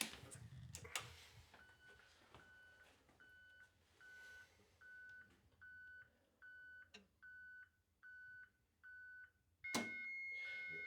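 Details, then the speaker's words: HANDEL carrier control point activating the siren receiver signalling, letting 240 V in to cycle the three-phase contactor for 60 seconds: short high beeps about once a second, then a solid clunk and steady hum as the contactor pulls in normally. "can hear the three-phase contactor thumping in now. Wow. So that will be allowing three-phase juice to here."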